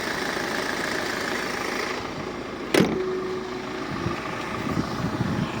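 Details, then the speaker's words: Engine bay left unwashed; the engine idles quietly and steadily with no knocks, squeaks or rattles, apart from one brief click. Oil, filters, belts and rollers were replaced 20,000 ago; normal idle. "як ві в якому стані автомобіль мобіль працює тихо ніяких шумів скрипів рипів нічого немає"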